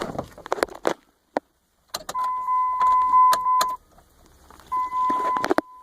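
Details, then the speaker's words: Jeep KJ CRD diesel, key turned on before starting: steady mid-pitched electric buzz for about a second and a half, stops, then returns briefly among clicks with relay click in fuse box; fuel priming pump key-on buzz. "all right we're gonna check this buzzing noise which might be a fuel pump turning on when I turn the key on before starting the vehicle"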